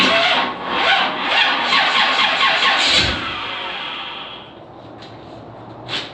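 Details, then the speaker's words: G-body Monte Carlo SS small-block stroker with high-torque starter cranking slowly, about two turns a second, dragging for three seconds; owner suspects two 30-amp fuses limiting starter current. "so you heard that, you heard how it drags."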